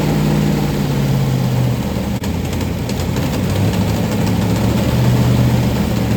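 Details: 1990 Lincoln Town Car 5.0 V8 build, first fire: GT40 heads, Holley 650, BBK long-tube headers, T5: lumpy loud idle with rapid uneven puffing over the rumble; exhaust leaks suspected all over, also leaking freeze plug.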